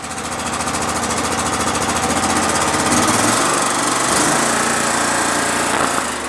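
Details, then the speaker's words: 2016 Exmark Lazer 60-inch mower, 27 hp Kohler V-twin, about 3,800 hours, after the carburetor work: throttle raised from idle brings a rapid hard tapping, three or four a second, over the engine beat; nasty knock, owner fears needing a new motor. "boy i hear a knock i hear a nasty knock in there did you guys hear that knock oh man there's a nasty knock in there"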